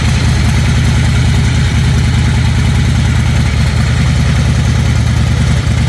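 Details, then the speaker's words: 2005 Harley-Davidson Fatboy Firefighter Edition, 25,000 miles, after repair at the compensating bolt torqued to 150 lb spec. Deep, steady V-twin idle with no random loud knock; engine sounds healthy. "all right I don't hear it at all I hope this has been helpful if you've been having that issue with a knock"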